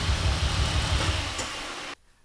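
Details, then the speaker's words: Supercharged Mercedes SLK320 after hard pulls, idling unevenly with a stumbling low thump before cutting off; cylinder 5 misfire code, coil or spark plug suspected. "ah yeah it sounds misfiring so we got four codes"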